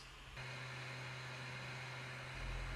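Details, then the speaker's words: Ender-3 3D printer after swapping in a Noctua fan on the 24 V outlet; soft steady hum with faint low tone and light airflow hiss, no rattle or whine, much quieter than before; normal fan running. "much quieter than before."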